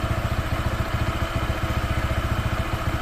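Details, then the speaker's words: Honda PCX 160 scooter, new and not yet broken in, with an uneven, lumpy idle near 3.5 beats a second, sounding starved and close to stalling; the owner suspects air, fuel or spark, possibly the idle air setting. "parang kinapos sa hangin kinapos sa gas Paano ba kinapos sa kuryente"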